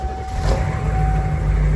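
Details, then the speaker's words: Diesel vehicle started after glow plug warm-up, right after foam cannon and pressure-washer engine bay cleaning: deep, even diesel rumble with no misses, knocks or stumbles; runs normally, no damage from washing. "Let's see if it starts. All right. Let's let the glow plugs warm up."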